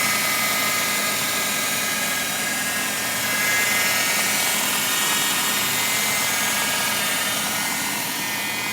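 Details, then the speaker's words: Fiat Tipo engine bay: steady high hiss and whine over the running engine, pitch unchanged. Mechanics suspect the power steering; owner unsure if steering or engine belt. A friend's same car is silent, and the battery keeps going flat. "Por que que ele tá fazendo esse barulho é da correia de direção é da correia do motor"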